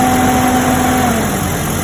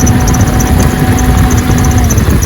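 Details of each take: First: Jeep Cherokee XJ with the 4.0 engine after the noise problem was diagnosed and fixed: steady, even idle with a smooth low rumble and no squeal or chirp from the belt drive; the engine sounds healthy. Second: Jeep Cherokee XJ 4.0 at idle before repair: a faint thin whir and light chatter on top of the idle. Worn idler pulley bearing, confirmed and fixed by replacing the idler pulley.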